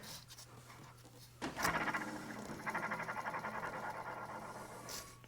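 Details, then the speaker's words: CVT drive, transmission whine at engine off or idle: rough, gritty whirr with faint pulsing rattle as the clutch bearing is spun by hand; two damaged bearings need replacing with a puller. "szumi w całości to łożysko więc mamy dwa łożyska uszkodzone które musimy wymienić żeby rozwiązać ten problem"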